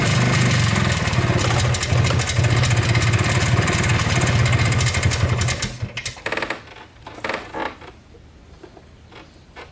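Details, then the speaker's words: Polaris Trailblazer 250 2x4 two-stroke quad before top-end rebuild: uneven, stumbling firing around 220 a minute that fades and sputters out after six seconds; won't stay running; owner suspects low compression, burnt-out rings. "this is a two-stroke quad and as you saw it's not running right i feel like it's long compression i feel like the rings are maybe burnt out on it"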